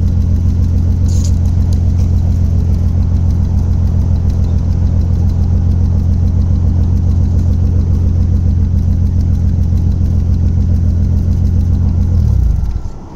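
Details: Toyota 1JZ inline-six misfiring at idle: lumpy, uneven beat about three and a half pulses a second, off-balance misfire note, almost Subaru-like; cause unknown.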